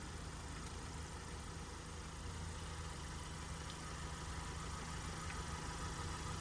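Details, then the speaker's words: Project Mazda Miata with the engine and transmission just installed, ignition on and engine off: a quiet, steady low hum holds for several seconds as the fuel pump primes the fuel rails from the tank before the first start; normal fuel pump priming. "yes that's the fuel that's the fuel pump it's getting fuel to the rails"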